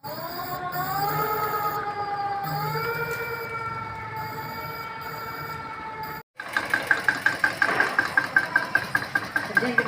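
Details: Electric bike BLDC hub motor: rising whine then steady rapid knocking from the wheel hub, caused by a loose bearing; fixed by securing the bearing with welding.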